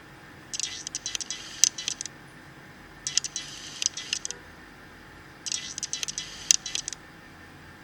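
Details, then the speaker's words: One-year-old Nikon D5500: three short bursts of high, buzzy whirring with light clicks during autofocus changes; the focus motor is loud enough to be picked up by the camera's internal microphone. "Hai nampak bawa motor bungkusnya cukup berisik dan terdengar sampai di microphone internal dari kamera"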